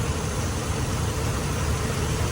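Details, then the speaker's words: 2005 Ram Hemi V8 with 155,000 miles, about 20 years old, after a DIY water pump replacement: a quiet, low, smooth, even idle with a steady rumble and no knocks, ticks or squeals, a healthy engine. "Guys, listen to how quiet this engine is. Just sit there and listen. 155,000 miles on a 20-year-old truck."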